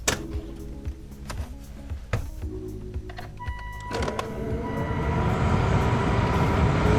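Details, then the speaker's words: 2006 Volvo XC90, 219,000 miles, newly installed blower motor and resistor tested before final mounting: clicks, then the fan spools up into a smooth rising whoosh with no rattle; the old motor had a little rattle, the new one runs normally. "okay sounds good so what it used to do is like a little little rattle type sound that's really good news that's awesome"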